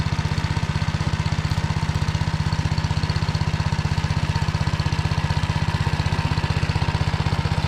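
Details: Tractor driving a Motor Sich rotary tiller through the Kamyansky gearbox, rebuilt after breaking with all 3 bearings replaced, milling rock-hard ground after winter barley: deep, steady drone with an even thump about 2.5 per second, no grinding or knocking; normal running.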